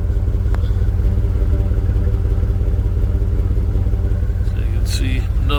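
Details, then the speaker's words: Truck with a newly fitted 250 amp alternator, exhaust heard around the Y-pipe conversion that replaces the stock pipe's 180° turn. Steady, even, smooth idle rumble with no ticks or misses; only water steam from the exhaust, normal exhaust note. "but water steam very very clean running truck now that sounds good"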